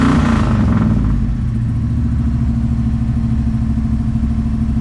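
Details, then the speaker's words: 1971 Ford Maverick 302 V8 after the Edelbrock Pro Flo 4 EFI swap: steady, even burble settling after the start blip, smooth and regular with no knock or miss. Healthy running. "I was never able to get it to be good. Listen to that. Easy start. Sounds great."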